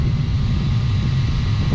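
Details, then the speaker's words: 30-year-old Goodman gas package unit after replacing rusted burners and igniter pilot assembly: deep, even burner rumble, no surging or popping; clean, steady burner operation. "And that looks a whole lot better and sounds a whole lot better. This 30-year-old Goodman just keeps fighting and chugging along."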